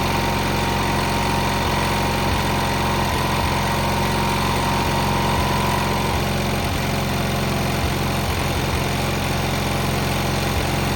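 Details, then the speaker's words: Cub Cadet 682 with a Kohler KT17 twin, first start after sitting with mouse debris, solenoid jumped and battery charger connected: steady, even idle putter with no misses, knocks or rattles. Normal idle. "Started right up. That was actually the first start."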